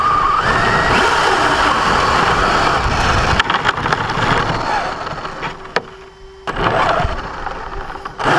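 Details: Brand-new Basher Nitro Circus 4x4 1/10 RC truck on 3S 4000mAh battery: harsh gravelly grinding swells under forward throttle on the ground, not in reverse or off the ground; gear mesh already adjusted without fixing it.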